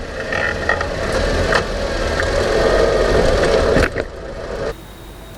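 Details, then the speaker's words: Late-2000s Honda Civic with about 300,000 km makes a scraping, clunky brake noise with a rough rhythm when slowing at low speed; excessive rotor parallelism (thickness variation) moved the caliper back and forth, and fixing the rotor fixed the noise. "so while the noise itself may be coming from the caliper caliper is not the root cause in this particular application that the brake rotor had an excessive parallelism which was causing the caliper to move back and forth fix the brake rotor fix the noise"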